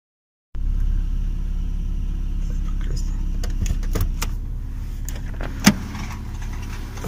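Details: Toyota 1JZ-GE engine running steadily, with scattered sharp crackles and light chirps over the idle; squeak and crackle traced to the drive belt tensioner pulley, which is to be replaced.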